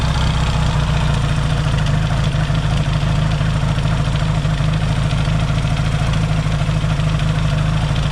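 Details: Yamaha XS650 twin, rebuilt engine just reinstalled in frame and first started, now warm with points not yet properly adjusted: steady, even low thrum, no misses or knocks, no oil smoke seen; healthy warm idle.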